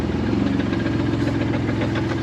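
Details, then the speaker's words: BMW's old engine, due to be replaced with an M54 B30, idling and lightly revved: rough idle with a fast, uneven knocking under the engine drone throughout; worn engine knocking. "this what the the the this what the old engine sound like give give it a little rev again"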